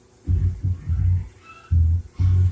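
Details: Drum dryer (also called a washer) spinning with deep, uneven, heavy thumps in bursts. A drum or support fault is suspected, not confirmed. Throbbing drum noise while spinning.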